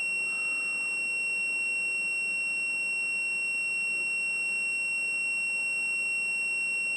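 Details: Whirlpool/Smeg ELTH type 261N bimetal frost stat, frozen to about −7 °C: continuity tester holds a steady beep on the orange and white wires, switch closed as it should be; it opens near 0 °C ±3.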